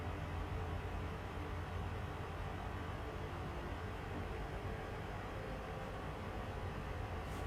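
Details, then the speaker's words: Overheating PS4 under game load, clogged with dust and residue from smoking in the room: constant loud fan roar pinned at full speed, pushing a lot of hot air out of the back. "it is quite warm and pushing out a lot of air out of the back a lot of hot air"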